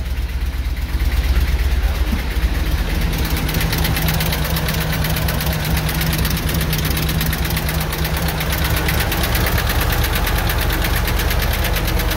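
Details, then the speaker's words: 2015 Ford F-250 Super Duty, 6.2L gasoline engine, 169,000 on the clock, oil pressure present: rough, lumpy idle with a repeating knock and swishing about three beats a second; possibly a dropped intake valve. "but it really does that that kind of swishing sound kind of reminds me of maybe like it uh might have dropped an intake valve"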